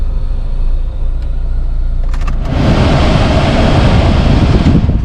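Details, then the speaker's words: 2009 Ford KA Copart salvage rebuild at idle after the radiator and condenser were replaced and the AC regassed (valve in the green). A strong, steady blower rush blows ice-cold air, and the AC is working normally. "So yeah, that's blowing nice cold air. So that's the aircon regas."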